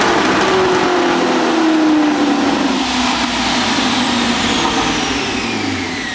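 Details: Whipple screw-supercharged Camaro on a dyno pull, pump gas, 13.5° timing, 965 at 18 psi: loud steady whine over the V8, falling slightly in pitch through the pull. Normal Whipple blower noise.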